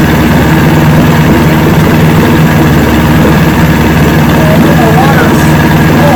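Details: 1970 Evinrude 85hp two-stroke outboard, hydro-electric shift, about 50 years old, new water pump impeller, run in a water container after shift tests: steady even low idle burble, no misses, knocks or hunting; carburetors judged good at idle, full throttle untested.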